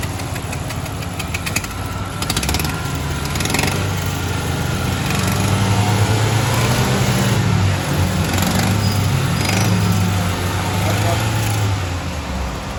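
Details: Honda Civic engine running with an irregular tapping rhythm over idle that rises slightly as revs come up; engine knocking noise, cause unknown.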